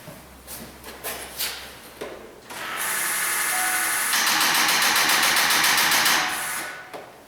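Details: 2006 Ford F-550 dump truck, 6.0L diesel: the starter drags the engine over slowly, about four beats a second, and it never fires; a weak crank from a poor battery ground cable, unrelated to the instrument cluster replacement.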